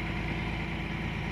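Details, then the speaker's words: Caterpillar 345 excavator diesel after ECM replacement, high idle set to 10 and engine speed auto-calibrated; runs at full speed then automatically reduces, steady even rumble, no knocks, hunting or surging; speed holding correctly. "as you can see now the engine sound is fully speed so based on calibration they calibrate the speed and the problem speed going down see you can hear the sound they automatically reduce"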